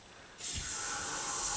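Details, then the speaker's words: 2000 Chevy S10 4WD 4.3 L V6 with intermittent long crank: sharp steady hiss as 30–40 psi fuel pressure bleeds back through leaking fuel pump check valve when released; fuel pump needs replacement. "so 40 or 30 PSI Let It Go bleeds right off right through the check valve so that's the call we need a new fuel pump"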